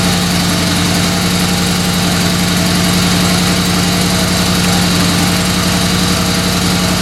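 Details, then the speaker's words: 1970s Dodge Tradesman 4x4 van, freshly rebuilt 318 V8, after engine swap: even idle with constant unchanging whine over exhaust beat; alternator noisy, belt to be retensioned, may need replacement. "so my alternator is making a lot of noise i'm going to retention the belt"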